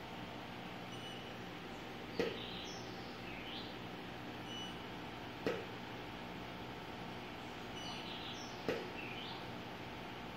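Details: Godox AD600B TTL strobe fired at full power: three sharp snaps about three seconds apart, each followed by a rising electronic recharge chirp; loud firing noise.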